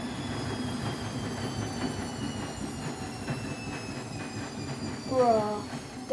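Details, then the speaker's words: Vestel washing machine running service/test mode spin; steady spin hum with whining tones, then sudden loud squealing bursts near the end; loud spin noise of unknown cause. "This is not going to be good. I know because it's going to shake a lot."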